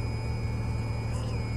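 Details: BMW E92 335i N54 idling on first start after fitting Ti Automotive Walbro 460LPH in-tank fuel pump: steady even low hum, no knocks or ticks; engine idles smoothly and the new pump stays quiet.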